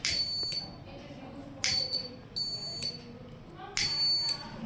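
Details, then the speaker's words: DIY non-Arduino fire and smoke alarm (flame sensor, MQ2, 5 V relay, buzzer, 5 V adapter) packed in project box: flame brought near triggers three short shrill buzzer bursts about two seconds apart; responds instantly. "Flame जैसे ही लेकर जा रहे हैं ये तुरंत देखिए response कर रहा है।"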